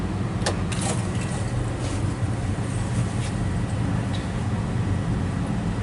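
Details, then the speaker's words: Well pump after pressure switch replacement, pressure switch contacts pushed closed manually at 60 psi; low, steady hum with a few faint clicks: well pump running normally. "And by simply pushing this with something else, you can hear that slight hum. That's the pump running."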